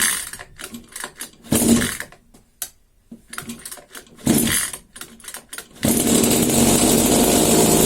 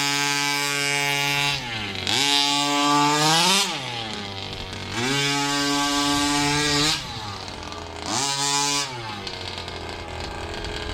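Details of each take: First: New Rovan 36cc double-ring two-stroke Baja engine on a test stand for run-in, with a box exhaust and no air filter yet: pull-start bursts and coughs, then it catches into a steady high buzz. Starts easily. Normal start and run. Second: Rovan 2-stroke in a King Motor Baja 5B with a Fury 23 pipe, somewhat warmed up: three rev bursts whose pitch climbs lazily before screaming, then drops back to idle. Throttle response off the line is sluggish, not the instant pull expected.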